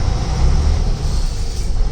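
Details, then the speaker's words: 2007 Freightliner Century truck with the engine brake on its high setting: a deep, fast, even rumble that is fairly subdued, probably quiet enough for residential areas; the engine brake works as it should. "I kind of like this engine brake like there is not a whole lot of noise like these Peterbilt guys and stuff you could probably use it everywhere residential area or whatever"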